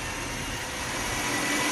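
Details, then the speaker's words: Mercedes-Benz M271 engine, raised from idle to about 1500 rpm, after fixing oil pressure leaks at the oil pump hose and the tensioner plug: steady, smooth run with no timing chain or exhaust cam phaser rattle; fixed. "怠速到1500转，慢慢加。没有异响了啊，问题解决了。"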